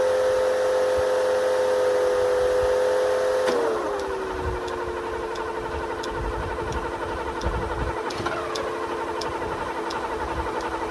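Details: 1980 Mercedes 450SL, first start after a new fuel pump and a long time sitting, no leaks: a steady fast idle sags to a lower speed a few seconds in and settles; iffy at first, uneven idle.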